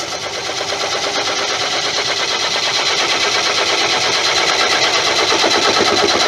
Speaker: It's the pith. Remember, the pith in this is soft. So I think at this speed, I'm kind of getting a bang off it.